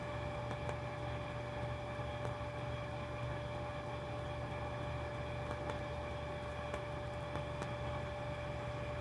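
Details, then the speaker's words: Centroid SC300P olfactometer priming its lines with odor, vacuuming through lines and valves (about five to ten seconds per odor): steady pump drone with a fixed mid-pitch tone and faint periodic ticks, even and unchanging; normal vacuum priming. "now is actually taking the other and then it's vacuuming it through the lines and the valves and making sure the order is present in the system as well"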